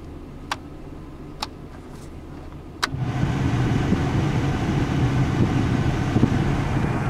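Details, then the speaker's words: 2001 Chevy S10 V6, heater blower on speed 4 after replacing a fuse; speeds 1–3 still dead: a few clicks, then a steady even rush of air at full speed; high speed works. "speed 4 was fixed by replacing this fuse there was a 10 amp fuse and a 30 amp fuse hole"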